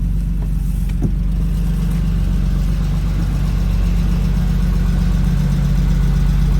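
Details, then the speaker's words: 1992 BMW E36 325i petrol six, manual, first start after 2–3 years in storage, just after fuel pump replacement: starts after a couple of pedal pumps and holds a low, even idle without misses or hunting; normal idle. "I just pump a couple of times. And it starts. It actually sounds okay."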